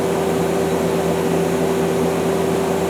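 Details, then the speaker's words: 2001 Okuma LB200MW turning and milling center, sub spindle at 1,000 then 2,000 RPM: smooth, steady whir with two constant tones, no knocks or rubbing; the spindle bearings are good. "okay here's 1,000 RPM that's 2,000 RPM and the bearings are all good"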